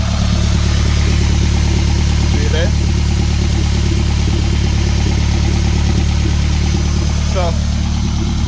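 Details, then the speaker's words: 2015 BMW F20 swapped with a boosted Toyota 1NZ-FE engine, warm idle with the cooling fan cycling: even, steady idle with low hum and fan noise; runs smoothly, still needs tuning. "a cycle, everything nice. Fan a cycle. Car a cool, it a get gas, everything a go on."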